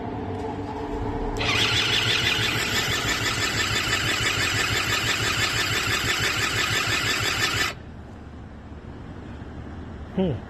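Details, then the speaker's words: Eaton Beamer III scooter during rebuild, key on, choke on, electric start button: starter whirs steadily for six seconds with no firing; cranks but will not start on electric start. "so however however when you started using this here it doesn't work it'll just keep on making this sound"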